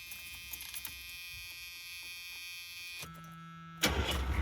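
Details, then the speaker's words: Oldsmobile Ninety Eight diesel that smokes badly and has heavy blowby: quiet, then a short whir, and it catches almost instantly, settling into a loud, rough-edged idle. A normal quick start. "so now I got to find another piece for that so yeah wonderful on the positive side though look how quick it fires up now"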